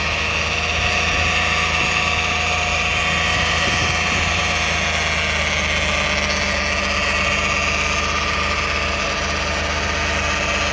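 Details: 2009 Toyota Sienna FWD idling after a transmission drain and fill. A steady, unchanging buzzing whine persists; a mechanic blamed a bad transmission oil pump, and torque converter or bearings are also considered. The flex plate is thought okay; cause not confirmed.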